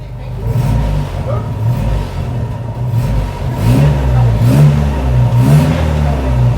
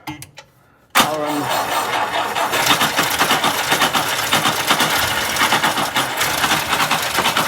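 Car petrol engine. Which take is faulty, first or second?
second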